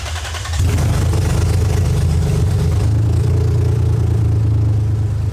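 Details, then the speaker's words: 2001 Lexus IS300 after clogged cats replaced with aftermarket header and spark plug checked; starter catches and a deep, steady idle settles with no misses, idling much better. "Yeah, it sounds a lot better. So right now the car is idling way better."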